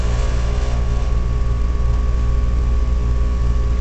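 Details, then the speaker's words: Heat pump with a loosened cabinet screw: loud steady droning hum with coarse buzzing vibration carried through the door panel; tightening the panel screws makes it quiet. "you have a noisy heat pump of any sort just check all the screws they're all the way around and that's probably the only issue that you have"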